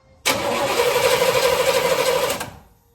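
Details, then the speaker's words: El Camino that sat 8 years, on a jump box with starting fluid sprayed in and the tank pressurized; about two seconds of steady cranking at roughly three beats a second with no catch. The mechanical fuel pump is not sucking and is judged bad. "No. I would say the fuel pump's bad. It's been sitting there for 8 years."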